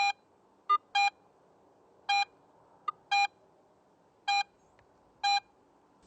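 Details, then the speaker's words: Garrett AT Pro metal detector in Pro mode on a silver coin: short sharp tones about every second over quiet hiss, louder when shallow and fainter when deeper, proportional signal showing target size and depth. "and sounds fainter at deeper depths this proportional signal strength helps the more experienced user understand more about the target's size depth and even its shape"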